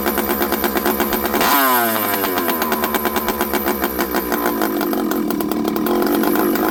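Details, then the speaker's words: Stihl 064 chainsaw on the bench after rebuild, low jet at 1.5 turns: blips then uneven hunting idle with irregular firing; low jet won't give enough fuel to stall it, carburetor seems odd, owner suspects it may still need a carburetor. "Low jet, the low jet doesn't seem to want to give me enough fuel to stall this thing out, which is odd, but I can lean it."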